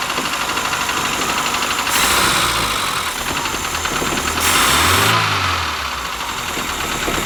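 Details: Carbureted Project 2002 engine, first run in about 30 years, no leaks found. A steady, even idle with two quick throttle blips that rise and settle back cleanly with no knocks; normal idle.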